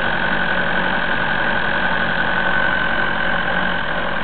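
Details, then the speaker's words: Diesel after fuel filter change starts fine but is cold and smoking near the turbo, with a hard rattly clatter and high-pitched noise; idle won't hold and revs won't exceed 1200 rpm, owner suspects the pump; cold diesel clatter. "Il fait un bruit comme froid. Allez, on peut accélérer? C'est encore pareil?"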